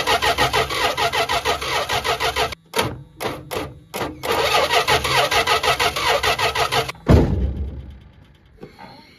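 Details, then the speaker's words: 1974 Dodge Dart Sport slant six, off the road 17+ years: steady cranking about three pulses a second, pausing and repeating, no firing; owner suspects missing crank power. Cause not confirmed. "it's a really good chance we're missing crank power"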